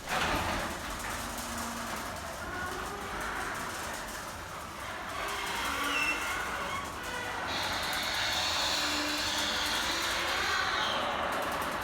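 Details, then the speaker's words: Loud rattling rumble with short high squeaks from a noisy garage door in travel before lubrication. Dry hinges and rollers were then fixed by spraying them with white lithium grease. "when i need to find out how to do something i always go to youtube to find out how my garage door was very noisy as you can hear"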